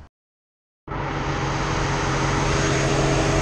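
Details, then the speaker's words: Ford Transit 3500 van, possibly 2013, after cooling fan replacement for overheating (before, low-speed fan never came on); strong steady whoosh at full speed, no rattles or scraping; both fans now running normally. "right so we got running you can hear those fans powered up now I know I didn't film this before but before the high side fan was on like it was a low speed fan and the low speed fan didn't come on at all"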